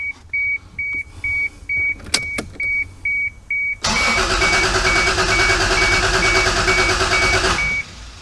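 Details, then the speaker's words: MK3 Toyota Supra that sat for years, cranked on a jump box after a loose positive terminal was fixed: a chime, then about four seconds of even cranking with no firing; the fuel pump is not priming because it is unplugged. "um unfortunately i still don't think we're getting any fuel up there that brake pedal feels just feels just like a clutch pedal it really doesn't feel like i'm getting any fuel still i'm not hearing the not hearing it prime either"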